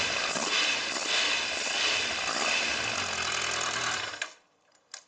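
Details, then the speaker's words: Kawasaki ZZR1100 D, cold, with the replacement fuel pump: it starts quickly into a steady, even idle with no misfire or stumble for about four seconds before shut-off; the bad cold starting was caused by the fuel pump. "Let's see, there it is. Okay, at first touch without anything. It was the bloody fuel pump that drove me crazy, but it drove me really crazy, huh?"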